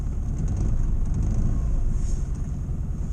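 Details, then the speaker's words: 1962 Morris Minor just started on choke on a damp morning after breaking down again: a low, rough idle with irregular stumbles and misfires; owner suspects the coil. "and as you can hear it's Miss faring like anything pretty rough"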